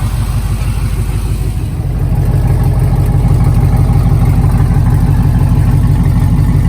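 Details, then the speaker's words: LS-swapped 1987 Chevrolet K5 Blazer after Holley EFI fuel rails, regulator, pump install, injectors pulled and O-rings replaced, pressure set around 30–32; low steady V8 idle, even beat about three pulses a second, no misses or ticks. Normal idle. "we got the injectors pulled and all the o-rings swapped out fired it up set the pressure everything looks good so let's fire it up one more time"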